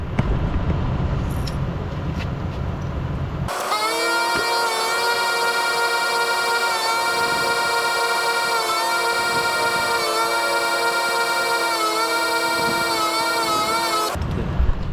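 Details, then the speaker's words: Permanently installed dual ARB air compressor in the engine bay of a 2003-2006 gen3 Mitsubishi Montero, engine running, inflating low tires to 30 PSI: a steady, even buzzing drone for about ten seconds, then a clean cut-off once pressure builds. It sounds healthy. "so you hear it running over there it's running it's going to keep on running because the um little valve is open so so now it built up pressure and I can use this thing"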